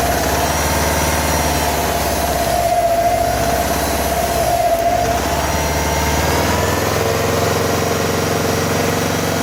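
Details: 2015 Subaru WRX STI at idle during engine knock troubleshooting: faint, even tapping under the exhaust burble and a brief blip; internal engine knock, source not yet pinned down.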